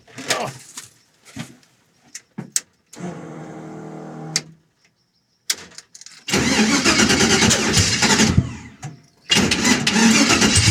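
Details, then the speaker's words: 5.3 LS-swapped Vega wagon with carburetor: several cranking bursts and sharp pops, backfiring through carb and exhaust, before running rough; hard starting, suspected low timing at the LS ignition box or carburetor, unconfirmed. "something's not quite right so i'm going to figure out what's going on with that ls box because it should not be that hard to start up and it could be the carburetor too"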